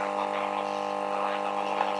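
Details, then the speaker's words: Homemade PCL82 valve radio/3.5W amplifier at maximum volume with the ground bonded to the chassis as a shield: loud steady buzzing hum swamps the faint radio; mains hum from ground loop, fixed by isolating the ground screw. "Ya se oye. Está a máximo volumen y se oye más zumbido que la radio. Muy mal."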